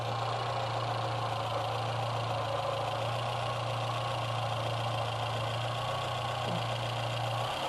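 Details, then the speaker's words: VW A1 with CIS injection, hard to start when cold, broken ground wire: with the ground restored the frequency valve buzzes over a steady idle drone. Idle improves as fuel metering corrects. "Yeah, it's buzzing. You can hear it buzzing, Yeah. And the idle improves, because it's now fuel metering correctly."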